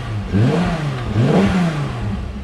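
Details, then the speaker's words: VW Corrado OBD1 VR6 automatic, first start on the swapped-in stock ECU: fires up quickly, blips revs twice, then settles to a steady, even idle with no knocks or misses; normal start and idle. "so we'll see if it fires up with that stock ECU"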